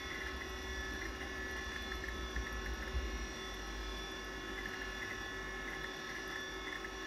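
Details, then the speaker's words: 1987 Apple Macintosh II hard drive running: constant whir with a steady high singing tone over a low hum, worn spindle bearings, drive possibly near failure but still working. "you can hear the bearings quite clearly there this drive might be on its last legs but it seems to work fine so [Music] far [Music]"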